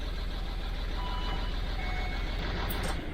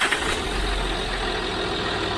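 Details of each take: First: 2006 Land Rover Discovery 3 TDV6 2.7L diesel after full engine rebuild, first starts: uneven lumpy chug for three seconds then dies away; one cylinder's injector not firing, misfire; injector fault did not return on second startup. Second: 2006 Land Rover Discovery 3 TDV6 2.7L diesel after full engine rebuild and initial no-start, on second startup: even, steady idle with smooth beat, no misfire; the earlier cylinder injector fault did not reappear.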